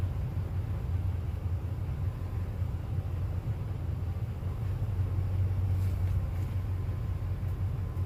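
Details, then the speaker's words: Rebuilt well pump engine after a dropped compression release valve, with replaced head, new gaskets and new radiator: steady even low rumble, no knocks or misses; fires much better with the new head, normal running. "fire's a lot better whenever it's got a good head on it everything"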